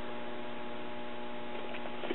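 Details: Late-1960s Pioneer SX34 tube stereo receiver on auxiliary input, measured at a 12AX7 plate (pin 6): a steady low hum with several fixed tones and faint ticking, a noisy audio stage later traced to a failed resistor.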